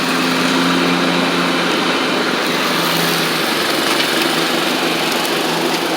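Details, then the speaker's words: Troy-Bilt Horse XP on a replacement engine, cutting passes after an overnight sit; it didn't want to start that morning. Steady, even single-cylinder drone with 46" blades whirring through the cut, no surging or knocking. Healthy normal running under load. "I'm going to show you that it runs and drives and cuts like it's supposed to now. And this mower is going to be extremely nice."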